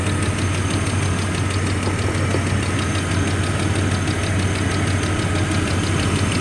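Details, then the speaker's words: 1995 GMC Jimmy 4.3L V6 idling properly after a tune-up with new spark plugs, distributor cap, rotor and plug wires; it previously misfired and idled about 500 rpm on cold start. A faint quick ticking at idle suggests a small exhaust leak, suspected but not confirmed. "so far so good sounds sounds good other than you know sounds like there's a small exhaust leak i had a little bit of a tip"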